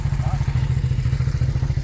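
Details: Revived first-gen Suzuki SV650 V-twin at idle: steady, even low thumping with only a little noise and no rod knock; the rear cam chain tensioner may just need adjusting; a bad bottom end was feared, but it now sounds healthy.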